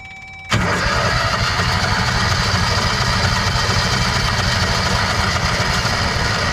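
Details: Kawasaki Mule 2510 side-by-side auction find, choke on: starter churns the engine over steadily and unevenly for several seconds, never catching. Cranks, no start. A spark plug was later found only hand-tight; the owner won't rule out a bad motor.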